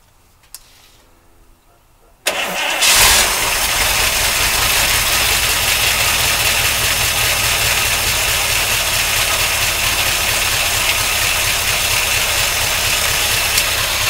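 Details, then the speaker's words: 1953 Oldsmobile Rocket Super 88 barn-find V8 with makeshift exhaust, carburetor primed: cranks briefly, catches and settles into a steady, even, fairly quiet idle with no misses, some valvetrain noise expected to quiet as it warms. "oh yeah it sounds like a Corvette it's pretty quiet"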